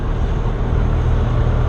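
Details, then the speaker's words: Jabiru 170 aircraft engine, warm after just flying (46 degrees, no choke), just after start: a steady, low, even rumble with no misses or knocks, throttle adjusted for a smooth idle between 1000 and 1200 RPM. "Adjust the throttle for a smooth idle, anywhere between 1000 and 1200 RPM."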